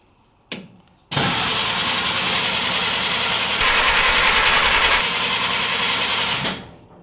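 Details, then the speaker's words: 1950 Willys M38 at its first start attempt in 15 years, after a new wiring harness, fresh fluids and a redone fuel system. It is a 12V system, possibly with a 6V starter. Steady cranking at about 3.5 turns a second never catches: no fuel in the pump yet, being primed. "I'm going to keep priming the system. Bear with me. No fuel in the fuel pump yet."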